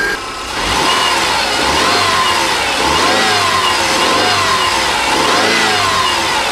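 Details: Rebuilt EJ25 SOHC 2.5L Subaru flat-four from a 2005 Outback, which before the rebuild knocked only when revved, warmed a couple of minutes: it blips up cleanly and settles back with a smooth, even note, no knock.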